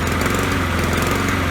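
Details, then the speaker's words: Honda-powered lawnmower that starts well but loses power after about 3 minutes, running worse with the fuel shut off: a flat, labouring single-cylinder drone; owner suspects a fuel-flow problem from the carburetor or a clog; lean running. "Really worse. So let's see. I think there's a fuel flow problem. So it's either carburation or there's a clog somewhere."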